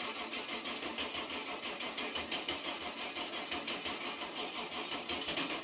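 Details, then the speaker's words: Cub Cadet garden tractor with 305 Chevy small-block V8: starter churns about two beats a second, engine never catches or fires, no fuel reaching it; may need jump box to spin faster. Crank no start, fuel starvation. "It ain't got no gas in it. Well, no fuel."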